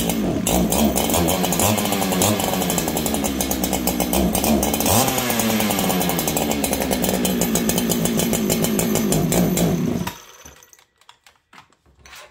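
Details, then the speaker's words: Stock Farmertec 288 kit chainsaw, later found almost out of fuel. A high buzzing two-stroke run of about ten seconds, wavering and unsteady in pitch, then it cuts out; running poorly from fuel starvation, not tune. "interesting this song may need to tune friends hold on in fact I'm going to say it needs a tune 100"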